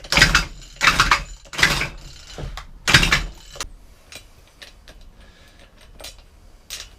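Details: Efco strimmer two-stroke engine, won't start after plug cleaning: four harsh, gritty rasps as the starter is pulled, then quiet; metal debris grinding inside the cylinder.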